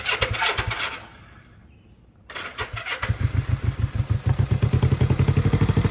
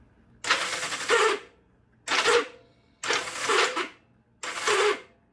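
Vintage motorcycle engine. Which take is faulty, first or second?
second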